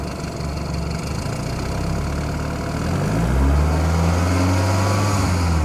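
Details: BMW F30 idling: light fast ticking about four per second, worse with A/C on, disappears above 2,000 rpm; engine revs briefly; cause unknown.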